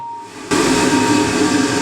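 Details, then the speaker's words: 1980s Ariston by Colston Electronic 3000 spin dryer, auto pump version, spinning up during a hose rinse-out of the tub: sudden rush of air with a steady high whistle; air through the slit in the middle, normal. "All that whistle is, it's the air going through that little slit in the middle."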